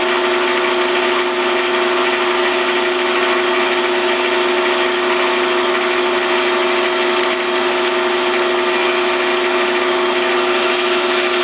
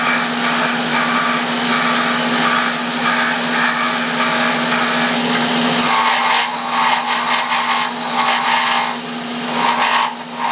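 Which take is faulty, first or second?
second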